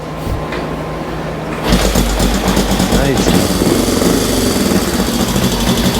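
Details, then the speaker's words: 1965 Honda CL77 305 Scrambler twin, restored, first start in several years after fogging oil, kick-started with choke off: catches at about two seconds into a quick, even putter around four beats a second; normal healthy idle, still to be heat-cycled. "we'll end up taking it outside and let it heat cycle for a bit but it looks good sounds good"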